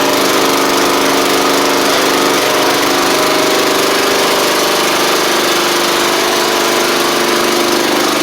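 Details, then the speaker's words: Troy-Bilt Pony mower with swapped-in Briggs & Stratton flathead (replacing Powermore; new Briggs carburetor, 12.5hp air filter), final test with hood back on and fresh oil: constant, even buzz, no stumbles, knocks or hunting; normal running. "w oh that's good that's really good actually"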